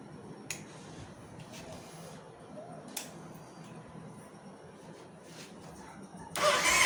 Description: Starter don't crank, won't start engine, Starter Relay Faulty, only click click sound under the seat when push the start button.